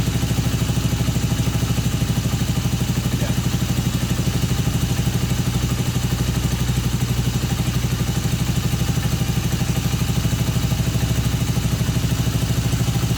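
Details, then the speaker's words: Honda CB250N twin after engine rebuild and resealing, idle mixture and tick-over being adjusted: steady even idle, but on revving the revs climb, hang high and drop very slowly; hanging idle, cause not yet found. "but then when I tried to rev it the revs just climbed and hung high and then dropped really really really slowly"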